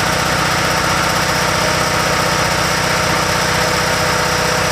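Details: RevCon motorhome generator after sitting about 10 years with probably bad fuel, now with an oil change and two new spark plugs, running from a gas can for about ten minutes: loud, steady drone, even firing beat, no misses or surging.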